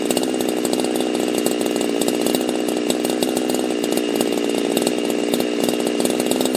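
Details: Husqvarna chainsaw fitted with a pop-up piston; high steady buzz with an even, clean two-stroke crackle, no hunting or sputter, healthy.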